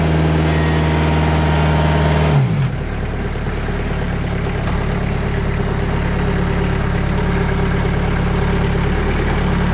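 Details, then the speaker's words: Sawmill engine revved to higher RPM after 2 mm (80 mil) sound-deadening sheets were applied to its doors: the note settles into an even, steady drone with no rattles or knocks and is much quieter. Normal high-rpm running. "so, yeah, that's so much quieter."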